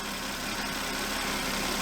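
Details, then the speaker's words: 2006 Volvo S80 T6 B6294T 2.9L turbo inline-six after timing belt and water pump replacement, cold evening (37 degrees); side cover rubbing on harmonic balancer pushed clear, now smooth even idle with steady hum, no rubbing or knocking. "There, that's better. That sounds a little better now."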